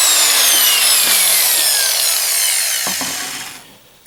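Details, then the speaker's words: Porter Cable PC60TPAG 6-amp angle grinder, about 7 years old, after new brushes (set 5140099-01) fitted: high smooth whine with no crackle or stutter, winding down evenly when switched off; normal running, much better than before. "that's way better you can hear it already and so I remember what it sounded like when it wasn't working very well"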